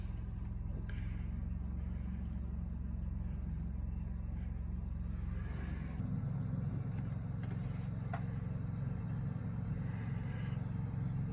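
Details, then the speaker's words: 2023 Coachmen Nova's Cummins Onan generator after the recall fuel-line hose fix for vapor-lock stalling, as the inverter switches to generator power for coach and batteries. A steady low drone deepens slightly as load comes on at six seconds; it runs normally. "cut our inverter going to eventually switch over to uh generator power which it's doing right now"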